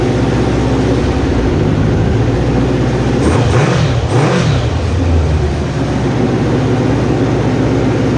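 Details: Neglected Kawasaki ZG1000 Concours after its gelled-up carburetors were rebuilt, first run: engine settles into a smooth even idle, blips up and back down cleanly, no misses or stumbles; healthy running.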